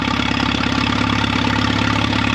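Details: 1936 Allis Chalmers WC tractor barn find, in neutral with choke, throttle and starting fluid, burning oil out of the manifold: an even, steady idle with a regular firing beat and no knocks or misses; healthy engine.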